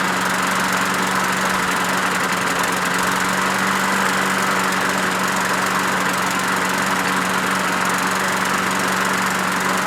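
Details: Craftsman push mower with Briggs 6.75 Quantum auto-choke engine after winter storage: steady but dull, labored drone as if stuck on choke, running rich; blocking the primer hole helped (vacuum leak suspected), and a carburetor swap fixed it.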